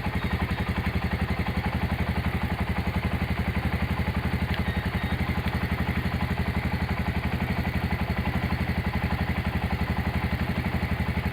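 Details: Honda GL100 single-cylinder after engine restoration, valve clearance set to 0.10: steady even thump at relaxed idle, no knocking or ticking; engine smooth and healthy.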